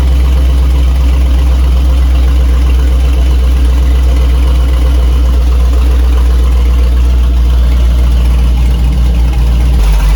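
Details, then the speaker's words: 2004 Chevy box truck after fuel system priming, with earlier cylinders not firing. Now a deep, steady, even idle with no misses or stumbles, sounding much healthier; normal idle. "oh yeah bassive Improvement [Music] that sounds a bit [Music] [Music] healthier"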